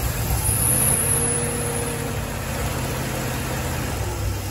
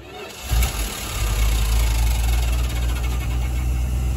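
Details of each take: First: 1974 Dodge B300 Minnie Winnie with a 360 V8, started after a new ballast resistor was fitted, still cold. A low, steady rumble settles into an even idle with no misfire or stumble. The engine runs normally after the repair. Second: 1974 Dodge B300 Minnie Winnie, 360 V8, 727 transmission, first drive after 27 years parked: fires on fuel poured in the carb bowl, rough lumpy low rumble; fuel pump apparently failed.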